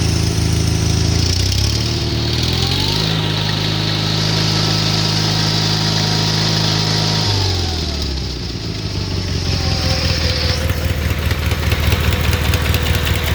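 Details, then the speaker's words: 1978 Gravely 8163-T tractor with Onan B43M opposed twin, revved and settling: a loud tick repeating with engine speed, from an exhaust leak close to the engine, at the gasket between block and manifold, which the owner plans to replace. "you'll you'll probably hear when i fire this up it it has a loud tick like an exhaust leak that's real close to the engine"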